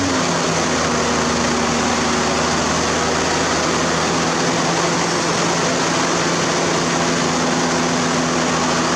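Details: First-gen diesel with newly installed P-pump, 3.8k governor spring, advanced timing, fuel pin, FASS Titanium, 4-inch exhaust: first start, steady even drone holding constant speed, no misses or knocks; runs smoothly.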